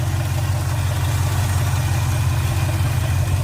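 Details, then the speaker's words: Classic car started after about 3 months sitting through winter, warmed up: low, even, quiet burble with no knocks or misses; idles well, though a fuel line leak at the fuel pump was found. "I don't know how good you can hear it, but you should be able to hear it running pretty good. How quiet it is."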